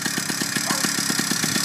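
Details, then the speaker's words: Newly installed two-stroke motorized bicycle engine on its first start with break-in premix fuel, idling with clutch pulled in: crisp, even popping about eight beats a second with a steady rasp; idles cleanly. "you don't want to go and start riding the bike immediately after you start it you want to go and let it idle this is the best practice to starting up your motor let it idle for about 5 minutes"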